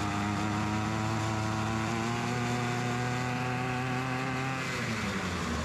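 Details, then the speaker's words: Ryobi RY253SS two-stroke string trimmer, a dumpster find, after replacing its leaking carburetor and starting it at half choke: steady high-pitched buzz holding an even speed without dying; carb may still need adjusting; normal running. "not too bad for a dumpster weed eater if i do say so myself um as you can tell the carburetor install was a success"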